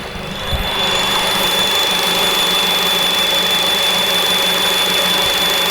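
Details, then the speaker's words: Honda Civic Type R after fresh idler pulley fitted: thin, steady high-pitched squeal above the engine hum from the accessory drive area; source still unknown. "Where is that coming from? No, this area. Ah, oh, bloody hell. Well, at least we changed the old pulley."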